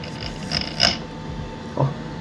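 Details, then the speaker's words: Steady PC case fan hum with short scraping, rasping bursts as one fan grinds or rubs while spinning, heard close up with the case door open; owner plans to remove, clean and apply penetrating lubricant. "Essa minha fã tá fazendo barulho."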